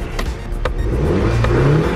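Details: VW GTI four-cylinder with stage one tune and R32 exhaust, steady even idle after replacing the bad cylinder three ignition coil, confirmed by diagnostic tool; misfire, check engine and EPC lights gone.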